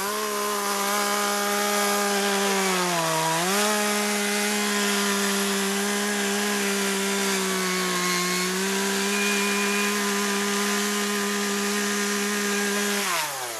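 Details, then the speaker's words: Chainsaw running on old stored boat and chainsaw gas blended with new non-alcohol fuel: a strong, steady high-pitched buzz with one brief dip and recovery, clean and even throughout. Normal running. "say fuel mixing was a success it's is running right fine sounds good y we got it"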